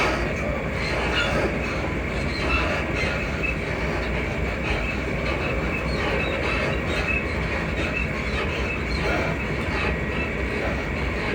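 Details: Class 334 unit 334031 moving on the Haymarket–Bathgate service: a thin, high squeaking runs through the loud, steady train roar. Suspension squeak suspected, source unconfirmed.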